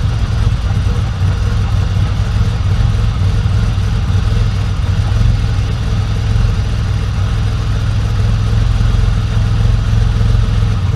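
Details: Freshly started engine on Link Fury ECU first start after 10% crank fuel enrichment fix: steady, even low idle before base timing offset is set.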